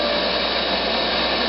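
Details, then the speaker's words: STAT 180 air stripper after a simulated sump low-pressure alarm (pressure-switch tubing removed): tubing reinstalled and alarm reset, blower comes back on with steady airy whoosh, no rub or rattle. Normal running. "So I should be able to reinstall this, reinstall the tubing, and reset the alarm. You hear it's coming back on."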